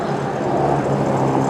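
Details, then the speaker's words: 2001 Dodge Grand Caravan Sport minivan, 142,312 miles, running: steady, even whir with a low hum and nothing rhythmic from an A/C compressor that is louder than it ought to be, though the air conditioning has worked without issues. "You can hear that noise, that's the compressor. It's a little loud on this thing, but haven't had any issues with the air conditioning or anything else."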